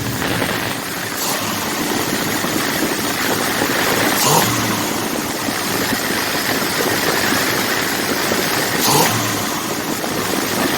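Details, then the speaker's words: Rebuilt 1979 Ford F150 carbureted engine, cold: holds a steady fast idle with uneven lumpy firing beneath, won't settle to proper idle; no leaks found, cause unknown to the owner. "Everything about this engine works, except it won't idle, and I can't understand why."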